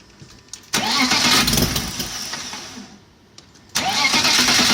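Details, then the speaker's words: Rotary-valve BMW engine on its first start after a new timing chain; the old chain had stretched until valve timing was 20-25 crank degrees off across the valves, and the new timing is not yet checked. It cranks, catches quickly and idles steadily, then stops and restarts cleanly. "So hopefully this will run better. Let's fire it up and find out."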